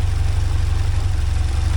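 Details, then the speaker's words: 1979 Porsche 924 with timing back to its previous spot: smooth, even low idle with steady pulses, no clicking or ticking; running normally, though the owner later notes it has started smoking. "Yeah, we're back to running normal now, again."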